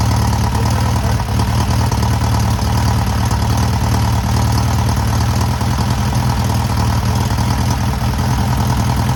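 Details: First start and break-in of a newly rebuilt air-cooled VW 1600cc engine: steady, deep, even idle with a constant rumble and no knocks, misses or rattles. Normal idle.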